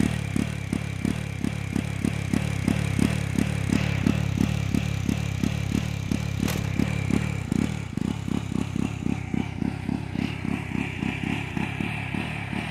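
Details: Jawa 42 motorcycle on acceleration: slow, lumpy thumping at about three beats a second with uneven spacing and dropouts. The engine stumbles instead of pulling cleanly, a misfire on pickup.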